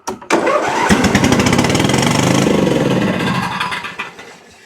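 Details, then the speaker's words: Briggs & Stratton Intek V-twin on an Exmark Quest zero-turn mower, bogging and dying under load: with left plug unplugged it cranks, catches and runs lumpy on one cylinder, sounding unchanged; right cylinder is the dead one, valve guide fault. "Sounds exactly the same as it did. Meaning that the opposite side is working."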